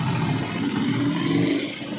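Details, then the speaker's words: Euro 150 motorcycle engine after repair, with the clutch lining and timing gear replaced following a damaged camshaft: steady, even single-cylinder drone with no knocking or clatter; the earlier noise is gone and it runs normally. "guys Yan na po ayos ayos walang ingay Okay ning maayos na po yung tunog niya"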